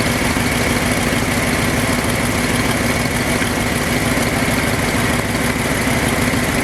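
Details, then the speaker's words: Ford F-250 after fuel pump repair, idling around 900 rpm after idle adjustment, target about 800; owner happy, says it's running good. Smooth, even idle with steady low drone, no misses, knocks or hunting; normal idle. "I'm actually happy with this. It's running good. It's running good."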